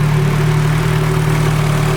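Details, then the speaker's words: Nissan Cefiro with fully built Honda K24A2 swap and T56 Magnum, rebuilt after a rod went through the block: smooth steady idle, even low hum, no knocks or hunting; 90 psi oil pressure, 119 coolant temp, warming toward thermostat opening. "So quiet. Vitals are looking good. 90 pounds of oil pressure now that it's not idling high."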